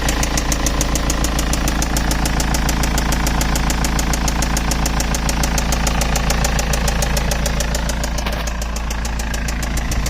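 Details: BMW E91 320d (2006), M47TU2D20 diesel at idle: a squeaking noise changed to a crisp, very regular knock about three and a half times a second over the idle, holding steady. Source not yet identified.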